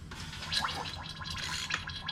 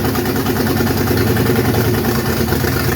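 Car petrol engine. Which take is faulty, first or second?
first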